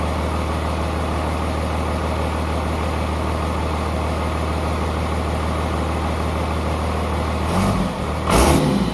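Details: 12-valve Cummins P-pump from a 1994 Dodge 250, high mileage, rear main seal leak, after a basic valve adjustment: deep, smooth, even diesel idle with no ticking or knocks, then quick throttle blips. Normal idle.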